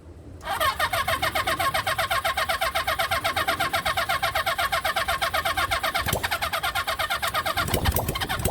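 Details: Rebuilt 1975 Honda CB400 Four engine, first start on test run with coils held on: catches and holds a quick, steady exhaust pulse about four beats a second with a light metallic rattle; runs, though a carburettor keeps flooding.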